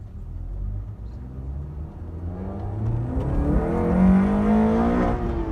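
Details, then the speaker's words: Honda K24Z3 K-series engine on drive after valve adjustment and warm-up: clean note climbing smoothly through the gear, no ticking or knocking; running healthy. "Yeah, it sounds healthy."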